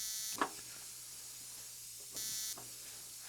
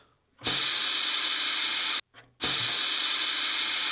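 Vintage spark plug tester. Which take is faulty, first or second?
first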